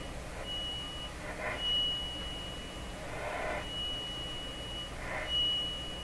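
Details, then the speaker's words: RCA A-32 Globetrotter radio after audio capacitor replacement, fed a three-kilocycle test tone: faint steady tone swells and drops as the dial is tuned across it; level variation, cause uncertain, other things could be causing it. "still through here the volume level go up and down as they tune across it now there could be other things causing that"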